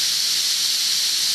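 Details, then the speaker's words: Steam safety valve on a manifold being set to pop at 120 psi, blowdown pressure still to be set; sharp, steady hiss of steam venting evenly with no chatter or sputter as the valve lifts cleanly: normal safety valve pop-off. "I got this thing set right at 120 man Bing right is that beautiful that's the way it's supposed to go now I got to set the blow down pressure and when that happens it changes that pop off pressure a little bit"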